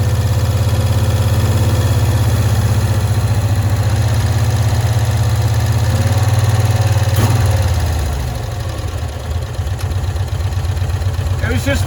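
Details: 1965 Cushman Truckster small twin, sitting one year, after freeing a stuck screw, air filter cover off: holds a low, even idle for several seconds with no hunting or popping, then drops off; runs smoothly now.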